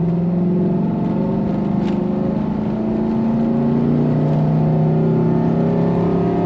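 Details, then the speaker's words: 2010 Chevy Tahoe 5.3 V8 with a custom high-flow open air intake, intake baffle removed, on a wide-open-throttle test drive: deep rising drone with a throaty intake roar climbing in pitch. Normal intake sound. "I think it sounds good. Yeah, you hear more engine with those open intakes."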